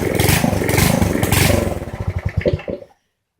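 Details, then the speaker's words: Poulan 900 rototiller single-cylinder engine, started on choke at slow speed: ragged, uneven firing with clattery stumbles, slows and stalls after about three seconds; concluded to be the carburetor. "point listening to that anymore that's definitely the carburetor"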